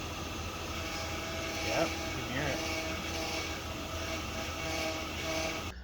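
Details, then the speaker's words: Power steering pump whining steadily at mid pitch over engine hum while the wheel is turned to full lock, stopping when turning stops; pump strains from air in the power steering fluid. "and do you hear that loud winding noise so if you stop real quick then the winding noise will stop that's my powered steering pump that's trying super hard to oh it's making that noise because there's air in it there's not supposed to be air in it"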